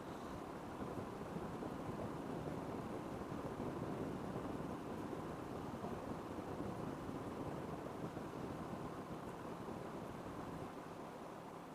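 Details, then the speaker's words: Panasonic Dual Inverter split AC, 4 years old, indoor unit at night in powerful mode, 16°C, fan high, mic near unit. Only a soft, even airflow rush with no clicks, rattles or tones: normal fan noise. "क्योंकि मुझे खाली जो fan घूमने की आवाज है मेरे को तो बस वही आवाज ए रही है इसके अलावा तो कोई और ए ही नहीं रही है"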